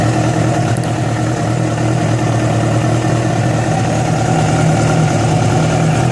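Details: Yamaha FZ6 with abnormal engine noise that began after riding about 70 km on two cylinders because of a failed ignition coil connector: loud, busy steady running with an uneven mechanical clatter over the exhaust; cause unconfirmed.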